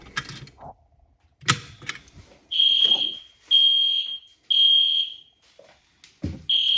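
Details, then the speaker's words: Genesis fire alarm panel system test, alarm triggered from a pull station: high-pitched horn blasts about once a second in steady cadence; horns sounding normally. "And normally in a building, if you're far away from the panel, you'll pull it. A few seconds later, the alarm will go off. But the Genesis does kind of mimic that a little bit."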